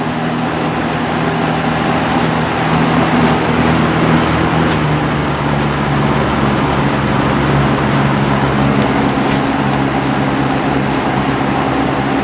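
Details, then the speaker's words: Lakewood S223 fan just cleaned and oiled (several drops in front and rear bearing oil ports, blade washed and refitted): smooth, steady hum and airflow, no rattle, scrape or bearing growl; earlier noise was water on the blades; normal running. "There's some water on the blades. That's what that noise was."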